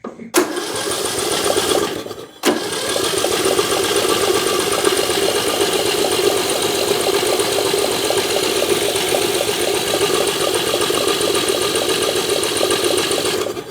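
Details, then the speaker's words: Bolens M762F lawn tractor engine, cranking after oil sprayed into the cylinder: starter spins fast and evenly with no compression chug; zero compression, suspected exhaust valve hanging open rather than stuck rings. "Absolutely nothing. Hmm. The plot thickens."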